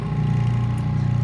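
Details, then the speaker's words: ATC EZ-Form/Maxi-Form thermoform Brailon duplicator, clamp frame closed on a Brailon sheet, vacuum switched on. A steady low pump hum with no whistle means the seal is holding. Normal vacuum pump running, no leak. "you'll hear a whistling sound if you have a leak this one right now it does not have any any leaks"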